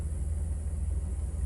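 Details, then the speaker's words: 2002 Chrysler Town & Country minivan, 3.3 L, after replacing faulty throttle position sensor that caused intermittent stall and bogging: low steady rumble, even firing, no misses or surging; TPS reads 14% at idle, normal. "yep it's normal because the old throttle position sensor at idle instead of it being 133 14% would be 56 but it wasn't idling that fast"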